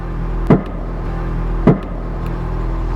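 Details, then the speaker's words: 1974 Mercedes 450 SLC after a new TA Technix air suspension kit install: two sharp pops about a second apart over a low hum. Suspected to be the air bag bellows rolling over, or the sway bar catching on wheel-well flashing. Suspension creak and pop. "Sometimes those creaks and stuff you hear in that is just the bags themselves will make a little noise. Sometimes the way that the bellow rolls over, sometimes it'll make pops like that."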